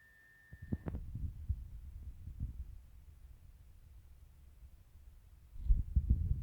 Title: oil filled heater make weird noises